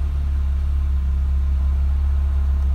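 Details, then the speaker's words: Renault Clio 182 RS, cold, right after replacing all four fuel injectors (flashing engine light and misfire before): steady, even idle with no misses or lumpiness, no engine light; running smoothly. "and it sounds already that cold it sounds good so hopefully that's it fixed fuel injectors all four chains i can say now there's no lumpy idol that's running sweet as about"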